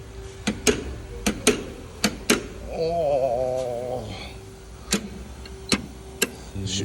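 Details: Toyota Wish on a lift, body rocked; sharp dry metallic paired clunks about once a second from the suspension: a suspension fastener has come loose.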